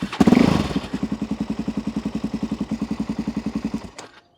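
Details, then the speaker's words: Cold carbureted motorcycle started on the button without choke; catches, chugs evenly for about three seconds, then fades and dies; cold-start stalling without choke, which is needed to start it. "so if you try and start a car bike and it won't just start on its own or it just dies immediately choke out to get it started sometimes a little bit of throttle helps"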